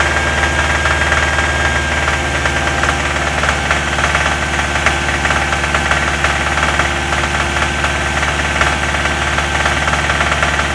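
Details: Subaru Impreza WRX engine running with a steady, regular knock of about three to four taps a second, most noticeable between 2000 and 2500 rpm.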